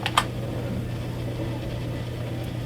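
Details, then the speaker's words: Old HP Pavilion desktop booting Windows XP: loud, rough steady droning hum; bearing suspected, possibly the hard drive or cooling fan — loud fan or hard drive noise. "hooking this up it works but it's a bit loud just get a listen oh that's loud what the hell is with a bearing"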